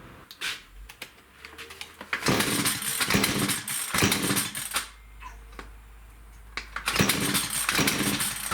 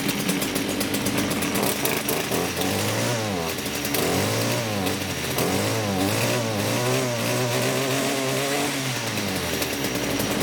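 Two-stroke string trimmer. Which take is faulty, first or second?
first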